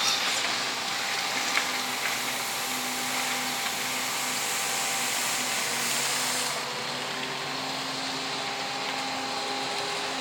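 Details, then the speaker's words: MJX H12Y RC vehicle with basic sensorless motor at full throttle setting: high, strained whine with irregular shudder and wavering pitch when under load; the motor cogs until given a little throttle blip. "voyez le Cooking voyez les vibrations qu'il a c'est le Cooking ça il faut donner un petit coup de gaz et là il monte"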